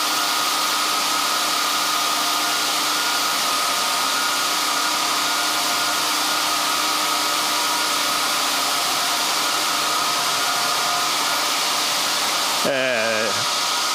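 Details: 1924 Alexanderson alternator transmitter SAQ at Grimeton running at constant motor speed held by control resistor, cooling fan started before keying: loud steady fan-air rush with constant hum and unwavering high whine; normal running.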